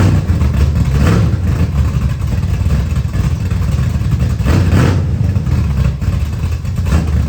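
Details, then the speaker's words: 1979 Camaro with a 355 V8 just reinstalled, restart: deep rumble that lopes and surges unevenly with the odd stumble. Timing read 20 degrees with a backfire earlier; air-fuel ratio about 22.5:1, far too lean, carburetor needs tuning. "Hell yeah. It's dead lean. It's like 22 and a half to 1. What? It's dead lean."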